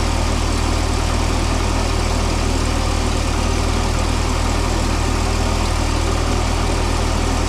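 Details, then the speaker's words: Mini forklift engine, propane-fuelled, radiator suspected of leaking coolant: steady, fast idle with an even hum and no knocks, idling really high; caused by a binding throttle cable, later removed and given a new bracket and bigger return spring. "it's idling really high. We're gonna have to work that out."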